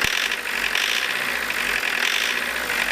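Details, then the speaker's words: Diesel engine with Lucas DPC pump, injection timing advanced about 1.5 mm from TDC: hard, sharp clatter with rapid metallic knocks, heavy shaking, poor throttle response, runs dull; over-advanced injection timing. "Сейчас будет очень жестко наработать. Все, жестко работает, на газ не откликается, смотрите."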